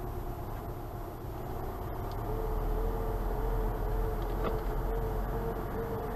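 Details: 2012 VW Passat TDI (CKRA) warm engine at end of drive: faint wavering whistle over diesel rumble, loudest by stethoscope at turbo compressor, turbine housings and actuator; earlier hot hesitation/power loss; suspected impending turbo failure.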